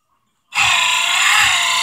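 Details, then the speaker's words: Ford Excursion during radiator swap: abrupt harsh high-pitched grinding whir with slow low thump from wiper linkage; wiper motor is loud. "wiper motor is pretty pretty loud little stuff like this"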